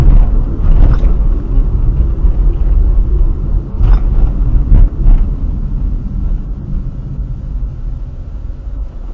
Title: front right suspension noise